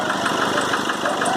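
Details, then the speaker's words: Nissan Frontier 2.5 diesel at idle: quick, even knocking beats over a thin, light diesel idle; knock attributed to a burnt cylinder head gasket. "por isso a explosão fica jogando pulando em hop e ponha em causa nesse barulho vocês puderam acompanhar no início do vídeo nosso problema até a junta queimada"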